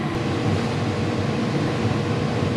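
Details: Condo furnace blower after tightening loose screws, changing the filter and sealing an air leak with foil tape, now much quieter: steady smooth airflow rush with even low hum, no rattles or scraping; normal blower operation.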